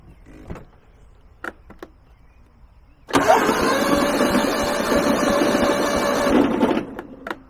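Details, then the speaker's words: Kohler 15 hp engine on Husqvarna lawn tractor, parking brake and safety switches engaged; starter drags engine under four turns a second for about four seconds without firing, very slow crank; weak battery pack suspected, to be jumped with car battery. "doesn't sound good for one thing that's a very slow crank this pack is not doing what it's supposed to do"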